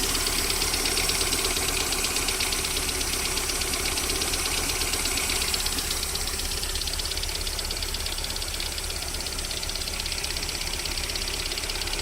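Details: VAZ 21127 engine at cold idle: crisp, regular metallic knocking roughly three per second; unexplained warm-up knock that lasts until about 40 °C, then disappears, source unknown.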